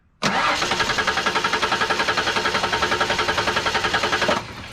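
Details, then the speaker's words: Ford Ranger cranks evenly at about three and a half turns a second for four seconds, never firing, even after the fuel pump relay is swapped for the identical wide-open-throttle A/C relay; no fuel delivered. "again we've got nothing"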